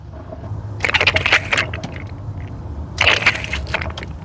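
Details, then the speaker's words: Bobcat 743 diesel skid steer after a new fuel filter: the bleeder valve is opened and the primer bulb squeezed, giving two short hissy, crackling gurgles as air and fuel spit out while the filter purges. "I don't know if you can hear that, but you can actually hear the fluid and the bubbles running out of there."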